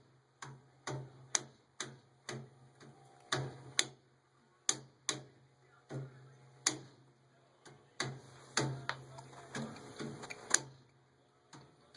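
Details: Furnace running: sharp uneven abnormal ticks, about two a second, snapping over a low steady hum.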